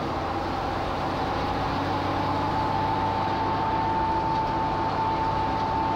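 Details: Jeep TJ driving, Dana 35 rear axle with Super D35 kit, Detroit locker and 4.56 gears: thin steady whine over road and drivetrain rumble, apparently from the rear end.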